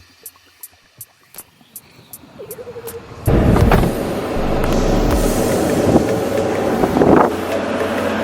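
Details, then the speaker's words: Mercedes GLA / Infiniti QX30 A/C cabin blower after blower motor replacement, switched to full speed: strong, even rush of air with no humming or vibration, normal operation. "Now it's all the way on. No crazy vibrations."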